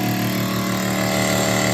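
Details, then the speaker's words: WAXIE Versa 2 carpet extractor (1.4 hours, suction complaint) solution pump on low pressure drawing chemical through the injector, producing foam; steady even motor hum, no knocking or surging. Normal pump operation. "Okay, I'm testing the pump right now. It's on low pressure, and that draws the chemical through the lines into the hose via"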